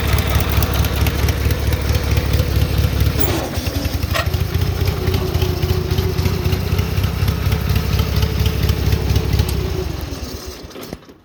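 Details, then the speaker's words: 1978 Gravely 8163-T tractor with an Onan B43M opposed twin, cold start on choke: idle with a sharp, quick tick at roughly four per second; owner suspects an exhaust leak at the block-to-manifold gasket, not yet replaced. "you'll you'll probably hear when i fire this up it it has a loud tick like an exhaust leak that's real close to the engine"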